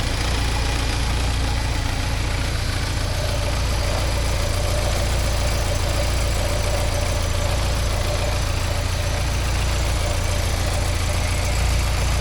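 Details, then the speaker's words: 1979 Porsche 924 warm idle, heard underneath: even smooth exhaust note, no ticking anymore; nice-sounding exhaust, healthy. "Oh, sounds good underneath here though. There's no ticking anymore."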